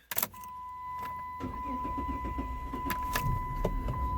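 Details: Chrysler 300, possibly 2006, with intermittent start delay up to 5 seconds and random stalling, codes P0605 U0101 P0601 for the NAG TCM: key-on chime, a pause of about a second, then uneven cranking, caused by an internal TCM fault.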